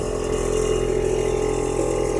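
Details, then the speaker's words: Newly wired air suspension compressor in a G35 with G37 front end, lines connected to manifold, on a fuse, first test: steady mid-pitched hum with fast mechanical chatter, unbroken, building pressure; normal. "i wired up the compressor so now we are going to be testing it out"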